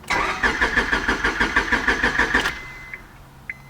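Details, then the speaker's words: Honda Civic that stranded owner, head gaskets replaced 2019, gas in tank: even starter cranking about three beats a second for two and a half seconds, never catches; crank no start, later traced to hidden kill switch cutting the fuel pump. "crank no start we need to figure out what that issue is"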